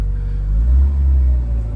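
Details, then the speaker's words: 1985 Chrysler Laser with the 2.2 turbo four-cylinder: starts right up and settles into a deep, even low rumble at idle with no knocks or misses; runs nice. "Starts right up and runs nice. Sounds like every 2.2 turbo that I've ever seen."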